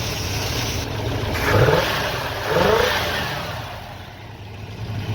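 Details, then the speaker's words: 1968 Pontiac Ventura warming up after being resurrected: even running with two clean throttle blips that rise and settle smoothly, no misses or knocks; normal running. "She seems to be running pretty smoothly."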